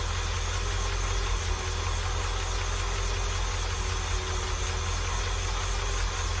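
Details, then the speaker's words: International truck at idle with a cover off, after finding nothing obvious underneath: a faint quick ticking rides over the low engine hum. Owner suspects a valve train noise to track down, not confirmed. "I ain't found nothing substantial as far as what could be making that noise down here I think I'm going to start it up see what it does"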